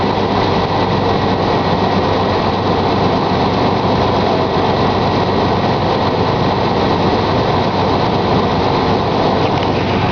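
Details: 1999 Chevy S-10 ZR2 at cold startup: loud steady idle with a dense clattering engine knock running through it.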